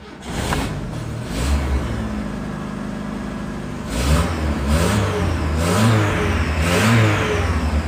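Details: VW Gol G2 AP fuel-injected after resoldering cold solder joints for the fuel pump: pump primes, engine catches, settles to steady idle, rises and falls cleanly through several blips; starts and revs normally.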